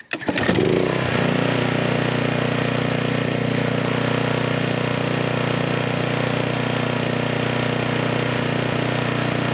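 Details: Troy-Bilt pressure washer after replacing bottom assembly whose water line cracked from frozen leftover water over cold winter: pull-start catches at once, settling into steady even small-engine drone with no misses or knocks; normal running.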